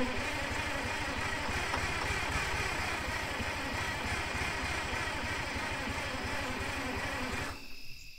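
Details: 1978 Insley H-800 excavator diesel, idle 25+ years, oil overfull possibly with fuel, water or coolant, fuel rack disconnected giving only a little fuel: quick even chuffing about three beats a second as it catches and keeps firing.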